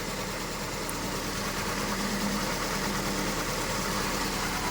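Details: Honda Civic FD with R18A engine, after reassembly and several sensor replacements: uneven, lumpy stumbling idle; unplugging coils shows no change on two cylinders, with no power reaching those coils; misfire on two cylinders.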